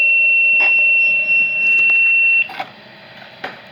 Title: (EXTREMELY RARE) KHB32 Makes Very Weird Noises